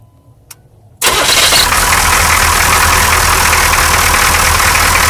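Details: 6.2L diesel truck, cold start the morning after a clear fuel line was fitted from the fuel filter to the injection pump: the line was empty but it caught instantly, then settled to a steady, even clatter with no stumbling or hunting; no idle issues.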